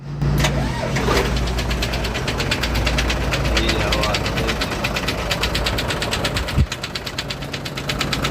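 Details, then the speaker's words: Hino truck HO7D diesel with sudden engine noise and oil from the silencer: rough idle with hard, uneven knocking over a heavy low rumble; teardown found broken cylinder liners and a damaged piston. "तो मुझे अंदाज़ा हो गया कि इसका जो आवाज़ है वो पिस्टन की तरफ से, पिस्टन जो है इसका टूट चुका है या फिर लाइनर इसका टूट गया।"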